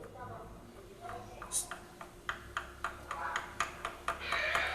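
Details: Honda Fan 125 engine, heavy smoke, torn down after lubrication failure: the connecting rod is rocked by hand with the piston held up, giving sharp, uneven metallic clicks about twice a second; worn rod big-end bearing with play.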